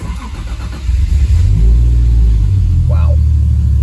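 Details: Supra Mk3 with a 1.5JZ, fuel cell, surge tank and AEM Infinity 506 ECU, start after the conversion, not in gear. It cranks briefly, catches and settles into a steady, even idle with a quick blip: normal start and idle.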